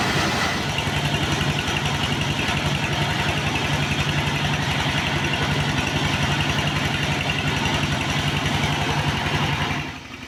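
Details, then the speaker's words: Single-cylinder S1115 diesel driving a rice mill under heavy load: steady even thump with no knock; complaint is thick black smoke, high fuel use, low power and radiator water running out fast. "तेल बेकार है, कोई ऊर्जा नहीं है और फिर धुआँ बहुत अधिक है"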